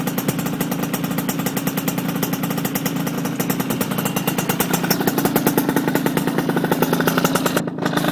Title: RS 80cc exhaust leak